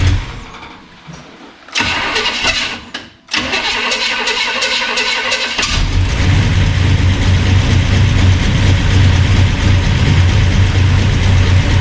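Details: Burned-up rat rod "Doje'llac" with freshly done carburetors, first run after the fire; starter cranks, engine catches and settles into strong even rumbling idle, no knocks or misses; normal running.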